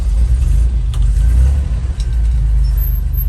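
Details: 1968 Jeep Commando, 225 V6 with a new carburetor and tune-up, idling in neutral: deep, steady low rumble with even pulses and no knocks or misses; one of the smoothest-running 225s.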